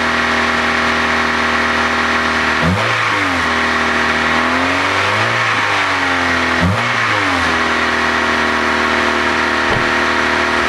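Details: Honda petrol engine revving up and down, with a raspy, puffing edge from an exhaust leak.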